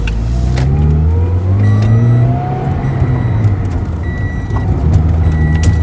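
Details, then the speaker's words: 2008 Toyota Altis that stumbled, stalled and hunted idle, after fixing broken wiring on the engine coolant temperature sensor: low even hum holding steady speed with no dips or hunting; idle now stable and healthy. "รอบนิ่งหายแล้วรอบนิ่งครับรอบนิ่ง"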